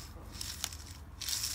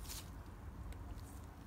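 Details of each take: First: BMW R 1100 GS final drive taken apart, crown wheel rear wheel bearing spun by hand close up: a dry, gritty rasp from the worn, failed bearing; the new replacement bearing is silent. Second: New rear wheel bearing for a BMW R 1100 GS final drive crown wheel, spun by hand: completely silent, no grinding or rumble, unlike the noisy failed old bearing. Only faint room hum and handling clicks.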